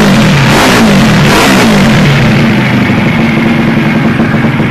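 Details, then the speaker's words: Takegawa Plus-R 4SM 59mm small four-stroke motorcycle engine build: crisp, quick revs climbing high and dropping back to a steady idle, no knocks or rattles; engine revs wildly, healthy, normal revving. "Όπως ακούτε, το εργαλείο στροφάρει τρελά και παλαβά."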